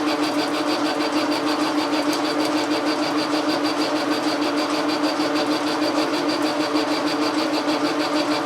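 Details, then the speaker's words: Logan lathe turning a telescope declination shaft: steady rhythmic whirring buzz and mid-pitched hum; operator hears a tight spot and suspects a dry bearing needing oil. "silly what is the source of that noise we are tight here maybe we need a little oil here I'm gonna put a little oil on this bearing"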